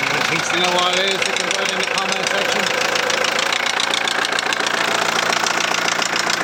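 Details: 2001 VW Transporter T4 1.9 TD diesel at idle with a sharp, regular knock well above the clatter, keeping time with the engine. The head was first suspected (possible dropped valve); teardown found big-end bearings almost worn through on clean journals: rod knock.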